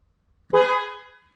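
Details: 2004 Jeep Grand Cherokee WJ with multiple electrical faults, airbag module reinstalled, engine off: one clear, strong horn blast about three quarters of a second long, steady pitch and clean fade; the horn works fine.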